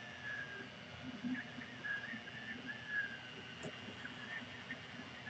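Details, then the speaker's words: Anycubic Linear Plus 3D printer running: short high chirp about every second over a quiet hum, seemingly from the top pulleys; owner suspects they need a drop of oil, not confirmed. "and actually now that Sydney it sounds more like the the pulleys up top of what they're squeaking it may have to give them a little drop of oil that seems to be where the squeak is coming from"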